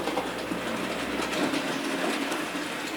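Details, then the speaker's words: Model locomotive (A.H. Peppercorn) running smoothly around the track after fixing a loose drive wheel that moved on its axle and jammed; light rattling rush, heavy clunking gone. "here we are with our locomotive fixed and it's not the greatest fear the locomotive but you can hear the clunking sound has gone"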